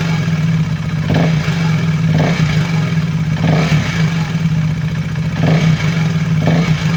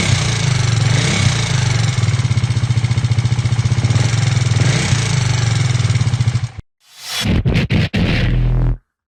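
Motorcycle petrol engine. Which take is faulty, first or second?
second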